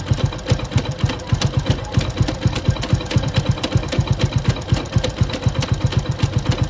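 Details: Motorcycle single-cylinder engine at idle before repair: heavy, uneven knock about four times a second, with the output shaft jerking; a bent third-gear gear wheel clashing with its mating gear inside the gearbox, missed through three earlier engine openings.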